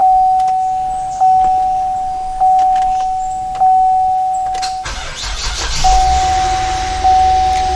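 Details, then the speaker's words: 2007 GMC Acadia before starter replacement, starting sometimes needs up to 10 tries: door chime pinging, short crank with hesitant catch before the engine fires; delayed start from a failing starter. "at that time I don't know if you noticed that delay sometimes it can take I don't know 10 tries so let's see if we can figure out what's causing that"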